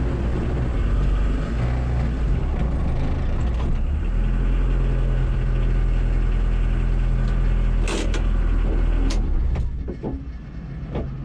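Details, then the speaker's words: VW 1.6L turbo diesel Sprinter at drag strip, over 30 psi boost with VNT position adjustments: diesel roars flat out, then sharp cracks and the pull fades. Turbocharger failure (third turbo); engine still fine. "Sounds like we popped the turbo. That sucks. I just put that on."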